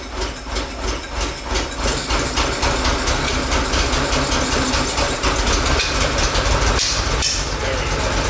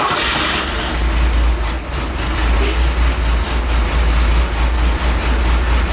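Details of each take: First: 1969 Porsche 911 T after misfire and power loss, carburetor jets blown out and cleaned: engine runs and revs fairly evenly, pulling up cleanly without stumbling or obvious misses; idle and carb sync still to be adjusted. Normal running after repair. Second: 1969 Porsche 911 T that began misfiring and lost power while driving, after recent carb rebuild, new plugs, wires, cap and rotor: lumpy uneven idle rumble with stumbling beats; owner feared a burnt valve.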